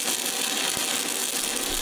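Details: Everlast PowerUltra 206Pi in DC stick mode at 135 A, first pass: steady crackling sizzle like bacon frying, even and unbroken with no pops or sputter. Normal, stable DC welding arc.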